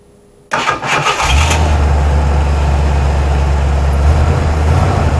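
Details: After a short crank, an engine with a rebuilt Holley 2300 two-barrel carburetor fires at once and settles into a steady, even low idle, no longer sputtering or dying as it did at stop signs before the carb fix.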